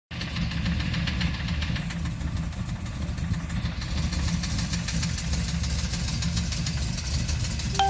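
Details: LS1 Z28 with Comp Cams and SLP parts, spun rod bearing: deep, rumbly idle with a dull, steady knock from the bottom end.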